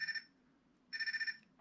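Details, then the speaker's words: Blimp-drive electric paramotor's T-Motor brushless motors give two short bursts of high, rapid, even beeps from the speed controllers, confirming they are connected; owner suspects the ESC BEC isn't set up; brushless ESC startup beeps. "those are the motors making the sound for the speed controller so they're connected at least"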